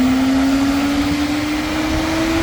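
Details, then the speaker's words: 2017 Chevrolet Camaro with a cooling fan code, fan commanded by scan tool functional test at 30–40% speed: a smooth, steady whir whose pitch climbs gently with speed; normal electric cooling fan operation. "output coing fun cooling fun yeah increase in speed okay 30 40 see you hear it start walking"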